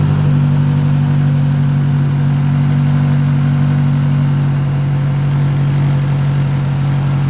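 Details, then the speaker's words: Big-turbo Mazdaspeed3 idling at its first start since October, in a garage: a steady low idle with a faint light rattle of unknown source; the oil is checked and something is noted as not tightened, cause unconfirmed. "i don't know what that rattling sound is it sounds kind of rattley"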